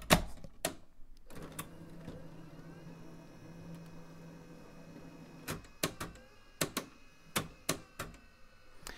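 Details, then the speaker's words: JVC portable 3/4-inch U-Matic S-type recorder loading a tape: soft motor whir for about four seconds, then a quick string of crisp clicks as the tape threads in, like a washing machine kicking into gear; healthy loading. "it kind of sounds like a washing machine kicking into gear there"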